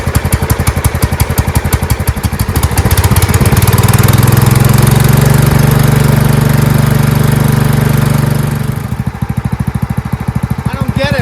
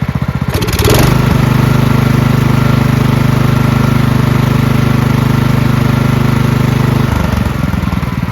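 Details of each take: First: Marching band hauler small engine whose carburetor flooded, fuel pouring out the muffler on first start; needle not seating; loud steady full-throttle drone dropping to a lumpy idle; flooding from a clogged needle seat. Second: Marching band hauler small engine after carburetor cleaned of red residue and fuel lines, filter and shut-off replaced, oil checked free of gas; starts after short crank, steady even chug six seconds, shuts off smoothly; normal running.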